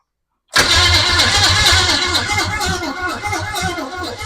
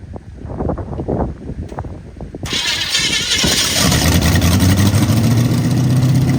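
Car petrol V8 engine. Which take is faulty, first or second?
first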